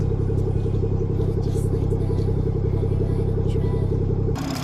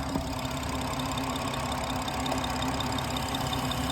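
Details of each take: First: 2017 BMW 440i xDrive B58 Gen 1, six-speed manual, cold start after PCV diaphragm and valve cover replacement and a body reset, with some smoke. A deep, steady, even idle with no tick, miss or whistle; it sounds healthy. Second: 2017 BMW 440i xDrive B58 Gen 1 six-speed manual, idling with oil cap removed before PCV replacement: constant airy hiss from crankcase vacuum pulling the cap down over an uneven low beat, from a torn PCV diaphragm.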